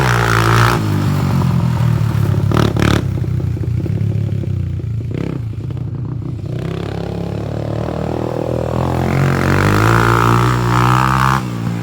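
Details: Honda 300EX on a test ride after a rebuild: single-cylinder thump revving up and down cleanly with throttle under riding load, no knocks or rattles. Normal running.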